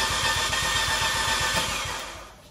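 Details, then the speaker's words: 2015 Fiat 500C Abarth MultiAir, sat a month in hot Texas July: fast even cranking that fades without catching, gas floored during cranking to re-prime; no-start from oil drained out of the MultiAir unit. "they usually say that if you let the car sit for about a month the oil drains out but I guess it's been so freaking hot that the oil got really thin"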